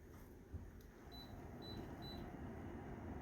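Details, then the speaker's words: Samsung Novus wall-mount mini split indoor unit, fan mode, after replacing the BLDC indoor motor (bearings failed from a dirty blower wheel) and cleaning the coil: soft steady air rush, low even hum, no rubbing or rattling; runs smoothly. "Oh, sounds good. Very good. Working nicely."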